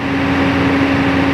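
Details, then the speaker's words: Truck diesel engine idling after air compressor pressure adjustment, pressure rising from 7 bar toward 8 bar: even idle under a constant droning pump tone, no knocks or rattles; compressor charging tanks normally. "Awalnya dimulai dari tujuh bar, sekarang kita tingkatkan. Jadi tekanan udara memang meningkat."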